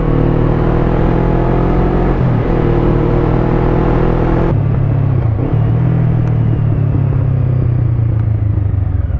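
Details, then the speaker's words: Motorcycle with 140,000 km, mic in the helmet at the cheek, riding: steady engine drone rising with speed and a clean gear change, with no squeak or chirp after the mechanic fixed the sprocket squeak; sounds healthy. "Mais là maintenant tout est résolu, elle couine plus ma moto, je suis content."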